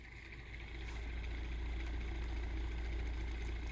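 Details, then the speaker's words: 3D-printed pulse motor with a new rotor, after fixing an earlier hitting noise caused by a warped PLA opto disc, runs with a soft, steady low hum, even pulse near 3.5 per second, no tapping, and well below top speed. Normal running. "nice and quiet now and that's nowhere near as fast as it can go"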